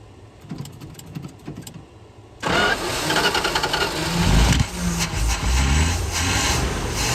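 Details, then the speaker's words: 1976 Dodge D600 with 360 V8, sat 21 years, just after HEI distributor installation: engine cranks briefly, catches at once and settles into a steady, even V8 idle with no misses or knocks. First successful start. "Guys, we got it cranked. I didn't think we were going to get there, but it's cranked."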